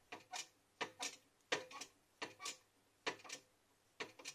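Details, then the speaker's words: 2012 Xerox WorkCentre 6015NI, about 4000 pages, with a phantom paper-jam error: quiet paired clicks and whirs about every 0.7 seconds, unevenly spaced, as the feed counts intermittently. Sensor and cables tested, sensor seemingly good; owner suspects the motherboard's sensor supply. "voilà en là elle se met à compter par intermittence"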